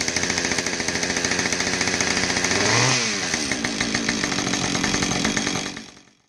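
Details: Husqvarna 550XP Mark II chainsaw after oil pump replacement and muffler swap: idles with crisp regular two-stroke pop, revs cleanly, drops back smoothly before shutting off; running properly.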